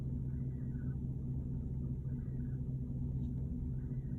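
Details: 2010 Porsche Cayenne GTS: faint, rising-falling chirp over a low engine rumble, repeating roughly every second and a half; intermittent chirping noise, cause still unknown.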